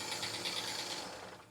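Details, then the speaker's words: Jeep Wrangler petrol engine started for pre-purchase inspection: busy metallic ticking and rattling from the upper engine, fading at shutdown; suspected lifter, but the oil filter cut open held lots of metal, possibly a worn camshaft. "So rattling like crazy. Sounds like upper engine noise. So it could just be a lifter or something like that, right?"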